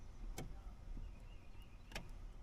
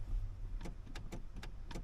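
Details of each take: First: 2008 Chevy Silverado 1500 faulty brake light switch (brake pedal position sensor): sharp clicks about 1.5 seconds apart as it clicks off and on while the pedal is pressed, causing intermittent brake lights and preventing start and shifting. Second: 2008 Chevy Silverado 1500 idling, brake pedal position sensor being tested: a few crisp single clicks on each pedal press, activating cleanly without chattering; normal brake pedal switch operation.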